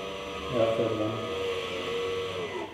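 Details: Hyundai i30 electronic parking brake actuator motor on the rear axle, run via a Launch tester during a disc and pad change: a quiet, even two-second electric whir winding down cleanly with no grinding or clicking, operating normally.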